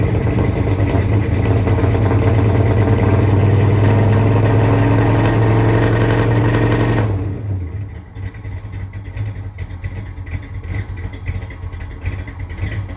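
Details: 1970 Dodge Charger V8 idling after a fuel pump install, first run in at least 18 years: lumpy idle with slightly uneven exhaust pulses before dropping off; mild misfire, cause unknown.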